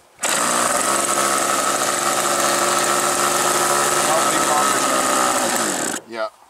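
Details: Aero-star .40 model plane glow engine, possibly a Thunder Tiger: high-pitched scream holds a steady pitch for about six seconds, then abruptly dies; cutting out, a new glow plug is suspected, cause not confirmed.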